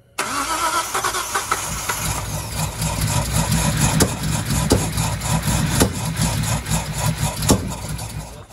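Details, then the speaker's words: Datsun 240Z with a freshly installed L28 engine and 280ZX five-speed: cranks and catches but runs lumpy with sharp backfire pops every second or so; plug wires possibly in the wrong firing order, timing also suspected. "my firing order might not be correct"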